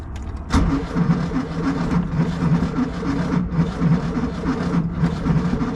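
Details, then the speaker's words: 1971 VW Squareback (Type 3) on a very cold Florida day, cranked with a weak booster pack: starter drags the engine over in slow, uneven chugs that never catch; booster lacks cranking amps. "Oh, this booster pack don't have much cranking amps. This ain't good."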